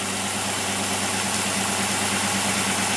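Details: Motorcraft carburetor (Holley 50262) tested on a running engine with fuel pressure regulated to 3 psi: steady idle set around 800 rpm with an even, unbroken beat, no stumbles or hunting; normal idle.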